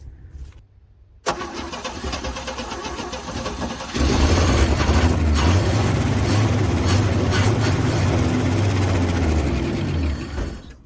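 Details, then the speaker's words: 1966 Chevrolet C10 parked for an unknown time, started on a jump pack: cranks, catches and runs roughly about six seconds, then dies; the old fuel pump isn't picking up any fuel. "all right so it's obviously not picking up any fuel and i can't get around here quick enough to get to it"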